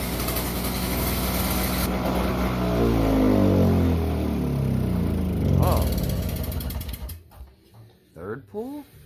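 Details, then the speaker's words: Toro CCR2500 5hp snowblower that would not start, after carburetor cleaning: it catches and stumbles along in an uneven sputter for several seconds, then dies, with the muffler full of oil. "No, now it's gonna work, but it's full with oil on the Carburetor. Muffler. Yeah. Oh, muffler. muffler is full."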